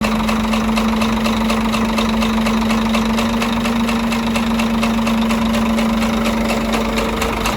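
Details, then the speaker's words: Scania truck with DC13 diesel at idle: light repeating tick over a low hum; knock caused by broken, unbolted rocker arms moving freely after the pushrod/rocker mount broke in three places; camshaft undamaged. "Сам распредвал не поврежден, в хорошем состоянии, но стук у нас исходил именно от того, что у нас поломано и не прикручено вот эти коромысла, и они свободно гуляли в этом двигателе."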